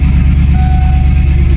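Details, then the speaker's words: Ford Fox-body Mustang V8, unknown-history stock engine, battery trickle-charged because the alternator doesn't charge; deep steady idle with a thin on-off whine over the exhaust, a squealing bad alternator that sounds like a supercharger. "I got it charging, trickle charging, because the alternator doesn't charge, and I think you'll hear the alternator squealing anyway."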